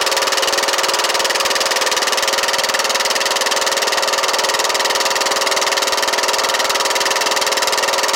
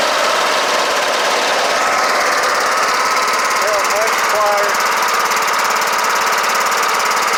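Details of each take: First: Kohler Courage 18 hp on Troy-Bilt Bronco automatic riding mower; steady single-cylinder idle with even, quick beat, no knocking, heavy smoke from muffler; guessed oil leaking from valve cover gasket. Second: Kohler Courage 18 hp on Troy-Bilt Bronco riding mower after valve cover resealed with cork gasket plus sealant; steady busy single-cylinder, even speed, no knock or miss, running clean; smoking stopped, engine mounting bolt still loose.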